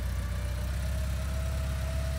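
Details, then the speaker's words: 1983 Porsche 944 after sitting 14 years, brakes rebuilt, on first test drive: smooth, even low rumble idling with no knocks, misses or rattles; temperature and oil pressure normal, no leaks; normal idle. "Everything looks and sounds good. This car has not ran in a very long time."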